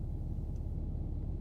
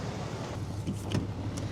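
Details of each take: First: Cummins diesel truck, rough on cold starts at -20 to -30°C, starting: deep, lumpy rumble with uneven low pulses and no steady beat, struggling to idle; rough idle. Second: Cummins diesel truck that idled rough on cold starts at -20 to -30°C, just restarted after a fuel filter replacement: quiet, even low diesel beat with a few handling clicks. Idle is smooth and healthy after the repair.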